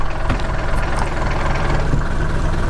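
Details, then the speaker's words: Mercedes T1 van, OM602 diesel, 250,000 miles, after new 115A alternator, tensioner arm, shock and 20mm belt: steady idle clatter with even low rumble, no belt squeal, faint gearbox rattle underneath; running healthy. "Just trundles along. None of your new 2020 vans in 2030, when they're 30 years old, are going to sound this good."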